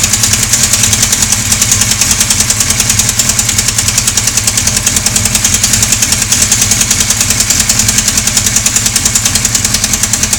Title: Sonderbare Motorgeräusche Teil 2.AVI